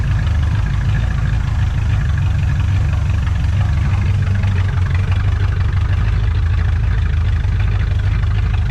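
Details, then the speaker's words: 1986 Trans Am 305 4bbl with E4ME Quadrajet after intake and carb gasket work, throttle position sensor suspected faulty: deep steady warm idle with even low rumble and no miss; normal warm idle, still needs adjustment. "Don't sound like it's missing."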